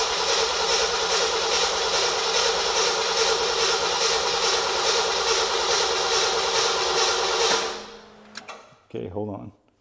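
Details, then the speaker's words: 1975 Ford F100 that had sat a while, fuel pump primed, throttle being pumped: long run of even starter churning at about two beats a second with no firing; extended cranking, no start. It later runs a little rich. "hold the Throttle Down huh hold the throttle down okay and just keep pumping it there you go keep pumping now try"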